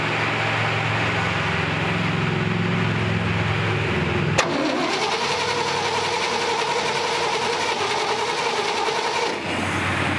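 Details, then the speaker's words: 1958 Chevrolet Apache pickup, small-block V8 barn find, new plugs and upgraded HEI distributor: steady whirring crank that never fires; no spark from the distributor, possibly a bad coil. "that's an HGI distributor we should have had spark right away"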